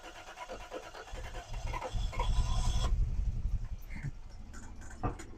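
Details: Toyota 4Runner revived, first start after fan, coolant, battery and plug wires fitted: engine shakes and stumbles with uneven low chugging at idle plus a pulley-like noise; timing belt jumped a tooth, valve timing off.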